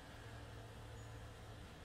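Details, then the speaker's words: Chinese diesel air heater on bench test with rotary controller, about six minutes after shutdown: pump stopped, steady low fan hum continuing in cooldown mode while heat still comes out. "we just gone six minutes now the fans still running still on cooldown little bit he's still coming out there"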